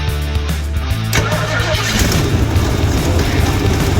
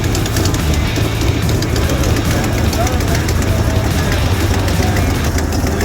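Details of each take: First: 1968 Ford Mustang 289 V8 started after new spark plug wires were installed in a corrected firing order. About a second of cranking, then it catches into a deep steady rumble without misfires: normal start. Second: 1968 Ford Mustang 289 V8, first start after new spark plug wires: steady rough idle with a light, fast ticking about two a second on top; a noisy lifter at idle.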